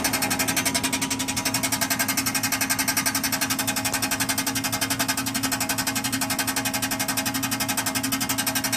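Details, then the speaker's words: 1996 Chevy Impala SS (LT1) after hard highway acceleration. A loud, fast, even metallic rattle, about four raps a second, seems to come from underneath and no longer stops when coasting; the source is unknown. "Tonight I got on it a little bit more, open it up a little bit. Now all of a sudden I'm getting this loud noise, and now it's not going away."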